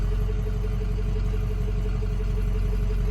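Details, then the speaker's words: 2005 Ford F-450 6.0 Power Stroke dump truck idling after fuel pump work, the pump blamed for skipping and low power. Steady low diesel rumble with an even beat and no knocks, misses or rattles; not overheating, good oil pressure. Normal idle. "it's not overheating got good oil pressure I think that's it"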